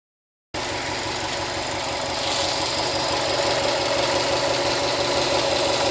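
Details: Brand-new 2013 Subaru STI with 1,500 miles at steady idle: light, even tick about three per second over the engine; owner unsure whether normal, source of ticking not determined.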